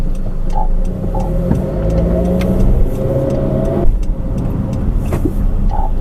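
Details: New 2013 Honda CR-V AWD, about 4,000 miles and four months old: low road rumble while pulling away with short croaking creaks from the rear, suspected rear differential; returned after a countermeasure pump, cause unconfirmed.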